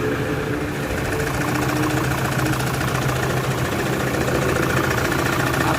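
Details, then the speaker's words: Toyota Fortuner 3.0 with idle vibration and code P0200 injector circuit malfunction: uneven, lumpy idle with a loping beat around three to four per second, likened to a motorcycle; one cylinder dead, misfiring. "Okay so kung maririnig niyo talaga yung andar niya H hindi talaga siya normal talagang abnormal yung andar sa loob guys so mapapansin mo parang andar ng motorsiklo na may bali ba o parang may problema mismo"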